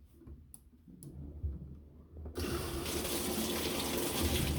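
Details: Whirlpool commercial washer in manual test mode after the lid lock engages; quiet clicks, then a sudden steady rush of water that holds evenly as the inlet valve opens and fills normally.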